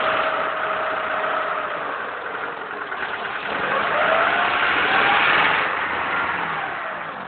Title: Стучит двигатель на приоре